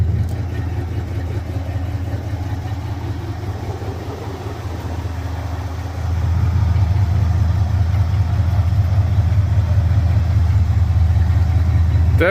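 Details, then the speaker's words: 1974 Ford F250 project truck V8 at idle after fuel line work. A steady, even, smooth low rumble that firms up halfway through, with no misfire or stumble; sounds better than before, a normal idle. "sounds better now see if you can hear it [Music] definitely happy definitely made progress"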